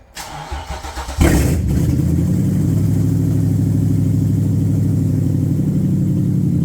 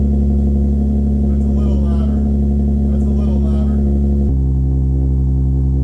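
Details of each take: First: Original VQ35DE in the G35 coupe, before its VK56 swap, with its 2.25-inch piping and catalytic converters removed (primary cats still fitted): short crank, then a loud, deep, rumbling idle that holds steady; sounds far better with open exhaust. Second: Infiniti G35 coupe, 6-speed, original VQ35DE V6, running after sitting a long time: deep, even, bassy drone with a steady low rumble and no knocks or misses through a louder exhaust, deep enough to vibrate your chest; healthy.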